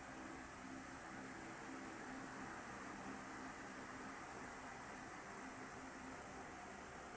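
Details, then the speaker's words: Standard orbit fan test-run after the LEC was fitted, plugged in and switched on: a quiet, even airy whoosh with a faint steady hum and no rattle or scrape; it runs strongly and sounds healthy. "Okay na. Aha. At nang malakas pa to. So, goods na."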